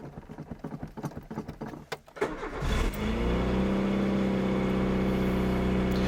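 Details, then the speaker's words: Peugeot 205 after fitting new spark plugs, choke pulled, pedal pumped a little: brief cranking, catches quickly and settles into a steady even idle; starting better than before. "some good surprises are it that with new spark plugs it starts better"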